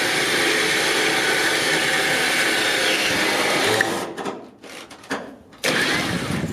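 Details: Harbor Freight Badland 9000 lb winch, bolt-on trailer install, replacement unit after the first one would not pull the car: loud, steady motor whine with even gear hum under load, then a clean stop; pulls smoothly, normal winch operation.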